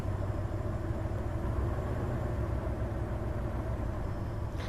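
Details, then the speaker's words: Hyundai Terracan misfire diagnosis at idle, injector balance active test with scan data pointing to cylinder six: low, uneven idle sags as injector one is cut, and the rpm drop shows cylinder one is firing. "all right injector number one i can feel the misfire i can hear it try again definitely dropping the rpm there on number one injector"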